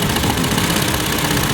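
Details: Hyundai Elantra after computer box repair for no crank no start: uneven, lumpy idle with a gritty beat; misfire from oil soaking and a leaking ignition coil letting spark jump to the side instead of the plug.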